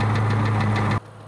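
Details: 2003 Ford Mustang Cobra V8 at idle: light, quick tick over the low rumble, much louder underneath because it echoed into the catalytic converter. The cause was a failing cam roller from a clogged cat backing heat and carbon into the engine; the cats were removed.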